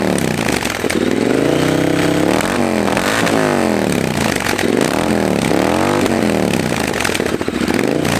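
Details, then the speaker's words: Triumph Bobber after installing Motone Customs H-Bomb exhaust and a 12-minute tune: loud crisp twin exhaust note with clean blips and smooth revs following the throttle; engine runs healthy and well tuned. "I don't know that sounds really good uh we'll have to put them next to each other to see if there's a real difference or not but it sure does sound really good"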